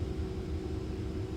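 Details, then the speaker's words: Salvage-auction Mercedes in cold weather, heard from the cabin: steady low electric hum under the cabin noise with no rattle or strain. Air suspension compressor running normally; whether the air shocks work is unknown. "i hear the air suspension compressor running"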